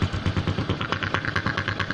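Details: Honda Supra X125 idle is uneven and lumpy, with irregular pulses and a snoring roughness instead of a smooth beat. Vacuum is low because the engine breather hose is cracked right at its clamp, causing a vacuum leak.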